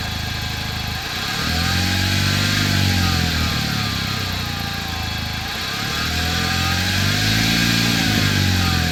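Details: 2009 Chevrolet Cobalt SS engine revving up and settling twice: thin whine above the exhaust note that climbs and falls with revs.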